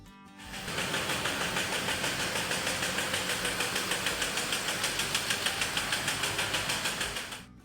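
Steady, regular knocking at about three per second over the engine's running note; a deep internal knock, cause not yet found.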